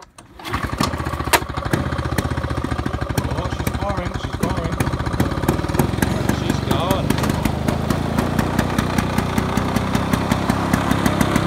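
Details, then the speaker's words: Rare 1980s Victa Vortex two-stroke lawn mower bought cheap, primed three times, pull-started: catches at once, then crisp steady two-stroke crackle with even firing, picking up slightly; running pretty good, healthy. "oh she's running pretty good"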